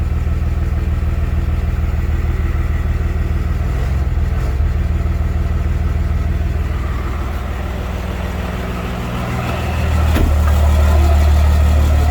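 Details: Cummins diesel swapped into a Ford truck, first startup after the swap and rewiring (swap adapter tach signal converter, fuel pump wiring): starts right up and settles into an even, low diesel clatter at a steady idle, drone rising near the end; tachometer works, check engine light on.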